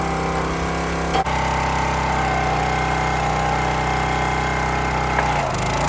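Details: County Line 25-ton log splitter single-cylinder engine, fuel replaced, splitting in vertical position: steady drone sags slightly as hydraulic load comes on, then recovers without stalling; running properly.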